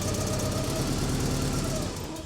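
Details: 1986 Porsche 944 with fuel injector problems: engine catches and runs briefly on all four cylinders with an uneven beat, then fades and dies. Owner suspects the alarm control system, not confirmed.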